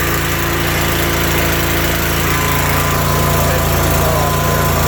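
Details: Riding mower started without the key by jumping the ignition wires, with the brake on, throttle up and choke out for a cold start: the small engine runs with an even, fast beat and steady pitch, no misses or knocks; normal running.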